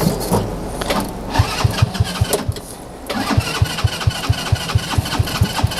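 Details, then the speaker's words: Kids' TW200 Trail Wagon Runabout 4x2 UTV, fuel lines reconnected: starter cranks at a steady two-per-second chug with no catch or firing; cranks but won't start, owner suspects gummed-up, clogged carburetor, a common problem on these. "guys I think that's enough um we're gonna pull that carburetor and that's a it's a common common problem for these things"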